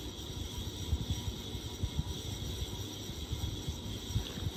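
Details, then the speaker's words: 1994 GEC 120cm ceiling fan on low speed four: uneven low rumbling and thumping under a steady high hum; very noisy, badly worn bearings. "all right you can hear the bearing noise now if you can hear it's quite noisy isn't it Tron yeah that's low speed four"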